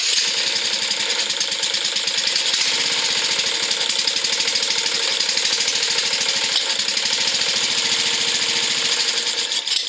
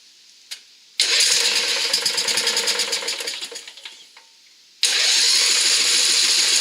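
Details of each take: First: Craftsman riding mower with a Briggs engine after carburetor repair done in place with the float bowl refitted; it previously got no fuel: a bright, steady putter holds an even beat and then winds down cleanly. It runs and idles properly. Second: Craftsman riding mower with Briggs engine after carburettor repair: the starter churns in a rattly, uneven rhythm but it never catches. No fuel reached it because the main jet had fallen out and been refitted from the wrong side.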